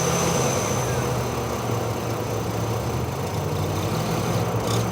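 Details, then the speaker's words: 2008 Chevy Trailblazer/Envoy setting P0014/P0017, idling during scan-tool VVT actuator test: lumpy, uneven idle with irregular low thumps; VVT solenoid stuck at 50% duty cycle, cam likely too far advanced, rough idle. "That's because it got stuck in that 50% position, and my cam is probably too far advanced."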